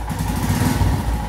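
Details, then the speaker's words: Royal Enfield Himalayan with the throttle position sensor properly reconnected: single-cylinder thump picks up smoothly and evenly under throttle, revving all the way up with no hiccups or misses. "hiccups whatsoever it's properly going all the way up so that is how it should be"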